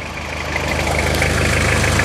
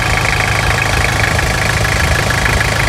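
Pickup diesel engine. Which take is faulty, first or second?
second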